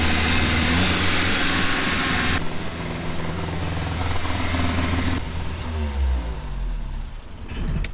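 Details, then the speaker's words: 1986 Toyota Corolla AE86 carbureted engine revived after long sitting, oil pressure good but burning oil: holds a fast, steady idle at 2,500 rpm and never settles; vacuum leaks suspected from broken lines. "All right, now it's idling at 2,500 RPM. So we definitely got a vacuum leak somewhere."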